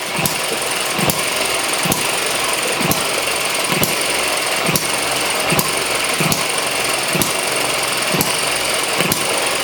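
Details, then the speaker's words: ET6 model hit-and-miss engine, running after a faulty valve was fixed, jumping on the bench: sharp evenly spaced firing pops about once a second over light mechanical clatter, governor working; normal hit-and-miss running. "now you can see all of the uh the governor working now it's jumping off the bench definitely needs to be held down a bit more secure and there she runs"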